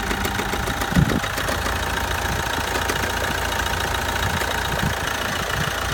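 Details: Opel/Vauxhall Corsa D 1.7 CDTI diesel at start-up and idle: a quick, light metallic knock like ball bearings rattling rides on the clatter; the owner is seeking help, cause not yet diagnosed.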